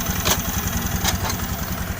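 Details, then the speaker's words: Honda Beat ESP scooter after repair, now starting without jumper wires, previously stuttering with dead speedometer and ECU fault: quick, steady idle with even beats and no misses or knocks; normal idle. "nih sekarang motor2 normal"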